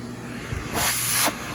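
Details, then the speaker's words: Aerus Lux Guardian Platinum vacuum at minimum power, about the Electrolux Model 30's power: a quiet steady motor hum with a soft airflow hiss; very quiet yet with adequate suction. "it's insane how quiet it is yet it's still got adequate suction the lowest power on this machine is about the same as the model 30s power"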